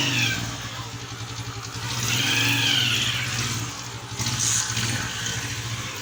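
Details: Honda CG 125 at idle: even low hum from the clutch side, pointing to worn gears behind the clutch cover; replacing the full gear set is said to remove it completely.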